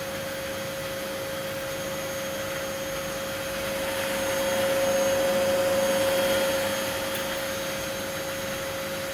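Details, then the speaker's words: Miele W1613 Novotronic washer, about 17–18 years old, being repaired for F63 error, running with the top off after the water supply is shut off: steady quiet motor hum with a constant mid tone; drum turning normally, debris rattling inside. "It's got no top on it, but it's quite silent. It seems to be going faster now that it stopped having water coming into it there."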